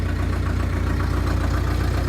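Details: 2001 New Holland LB75B backhoe, 1,800 hours, diesel with grid preheater (no glow plugs), cold start in about 30°F weather: starts right up and settles into a steady, even low thrum with regular firing, no knocks or misses; normal cold idle.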